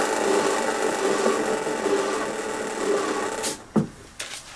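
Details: Hyundai lawn mower freewheel after cleaning check and lubrication: a soft, even whirr from the freely spinning rear wheel, now quiet instead of grating, then a few handling clunks.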